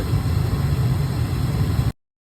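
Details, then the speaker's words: Gas furnace that kept cutting out, restarted after cleaning the flame sensor: steady, even low roar from the lit burner with no sputtering or cutting out, blue flames staying on; normal burner operation. "there goes the igniter in just a minute we'll hear the gas here comes the gas we got some blue planes and they're staying on"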